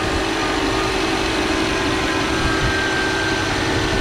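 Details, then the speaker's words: 2014 Subaru Forester after AC repair, engine idling with AC on, heard under the hood: even idle, no grinding, rattle or whine, noise gone; pressures good, vents about 44–45°F; compressor healthy. "sounds good looks good [Music] no longer hear the noise [Music] and uh these pressures look good too"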